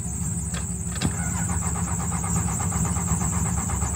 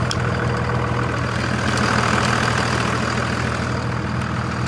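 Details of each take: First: 2001 Dodge Ram 2500 Cummins diesel plow/tow truck turns over steadily on the starter, chugging evenly, but never catches; injector lines found cracked, battery being charged. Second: 2001 Dodge 2500 Cummins diesel after repair, with a suspect VP44 injection pump and a lift pump that had been acting up: a steady, even clatter at idle with no misses, hunting or surging. The engine sounds healthy.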